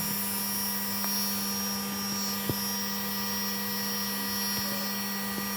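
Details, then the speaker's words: GPNI 2.2 kW 220 V three-phase ER20 800 Hz 24,000 rpm spindle on a Fuling DZB300 inverter, test run after parameter setup: clean steady high-pitched hum at constant speed, no roughness or bearing noise; normal high-speed running. "Begitulah halusnya suara yang dihasilkan."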